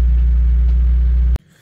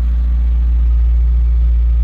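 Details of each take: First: Citroen ZX with a Peugeot-Citroen engine, held at about 2,000 rpm because it will not otherwise keep running: steady low drone well above normal idle, then cuts out; choke not working, fuel tank reportedly rusted inside, owner blames fuel. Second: Citroen ZX with owner-reported rusted fuel tank and earlier poor idling: steady, even idle with smooth low rumble and no knocks or misses; normal idle.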